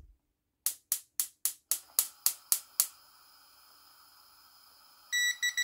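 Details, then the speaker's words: Toptes PT299 combustible gas leak detector tested at a gas stove: about nine sharp igniter ticks, a pause, then shrill rapid beeping as the detector alarms on natural gas (methane). "and as you expect the sensor picks it up pretty quickly the interesting bit was when I turn the gas off the LCD screen shows the gas levels falling but there is still some gas there"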